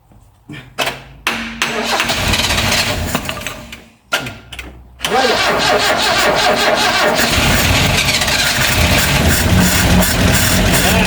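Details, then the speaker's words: 1974 Vauxhall Magnum after 37 years stored, on jump leads (won't run without it, briefly caught fire): several cranking bursts then catches into a steady even idle, no knocks or bangs; engine sounds okay, new fuel lines to go in and tank to come off. "We heard the car run, the engine sounded okay, there wasn't any knocks or bangs or anything"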